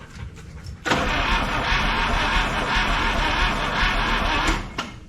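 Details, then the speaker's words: 1961 Buick LeSabre 364 Nailhead, first run in decades, warm after about an hour: loud, uneven, slow loping idle with a gallop; spark and TDC checked and it backfires on throttle, so owner suspects timing is out. "I think it sounds slow. I just got the battery off Boyle, went and ate dinner, so it's been running for about an hour. You guys listen to this and tell me. To me, it's slow."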